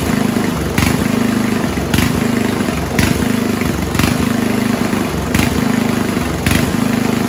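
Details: 1970s Roper 1032 snowblower with Tecumseh-style engine, probably 10 hp, at idle: small single surges and fades about once a second, governor hunting. Fixed-jet non-dumping bowl from another 10 hp fitted; still hunting until idle circuit mix was made slightly richer.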